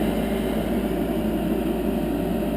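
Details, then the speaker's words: 10-year-old Heil gas furnace after replacing noisy failing exhaust inducer fan with a new one, hard-wired: steady even low draft-fan hum, no rattle, whine or scraping; much quieter, normal inducer running. "let's uh fire this thing up see what it sounds like yeah much much much much better it's quiet it's quiet"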